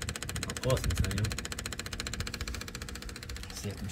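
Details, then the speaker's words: Kubota KX71 excavator diesel after replacing the failed OEM 12-volt inline fuel lift pump (about 1000 hours): steady rapid ticking, about three per second, from the new pump, then the engine cranks and runs. The pump sounds healthy. "Let's see if it'll work Thats what it suppose to sound like when it's"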